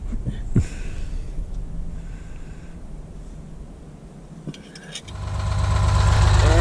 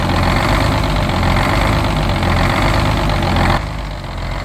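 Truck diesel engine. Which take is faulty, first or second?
second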